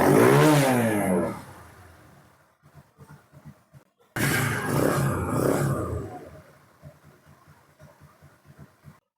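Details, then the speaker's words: TVS Apache RTR 160 BS4 with low compression that did not rise after loosening the rocker; before oil was added through the plug hole. Catches in surging bursts, then sags to ragged ticking and nearly stalls. Unstable idle from low compression. "রকারটা ঢিল দিয়েও compressor উঠলো না, তো এখানে Mobil দিব, Mobil দিয়ে কম্প্রেসারটা তুলবো।"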